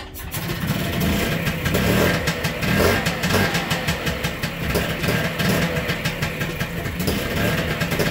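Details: Piaggio Ape TM 703 two-stroke after piston seizure repair with new cylinder, piston and replaced broken piston ring, first test: catches and settles to a steady, even putter with light revs, running properly.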